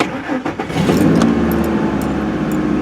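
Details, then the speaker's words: 2003 Ford F-150 4.2L V6 after a new Delphi fuel pump fixed an intermittent crank-no-start; short crank, quick catch, smooth steady idle, pump drawing about 4.5-4.6 A with fuel pressure about 34-36: normal start and idle. "4.6 4.5 and that's more in line with what it should be all right very good"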